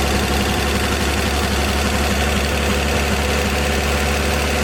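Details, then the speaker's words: 1954 Chevy 210 two-door coupe engine, first run after sitting an unknown time: straight engine running steady and even at a fast idle, dense rumble, no knocks or misses; runs good with oil pressure. "Motor runs good. We got oil pressure."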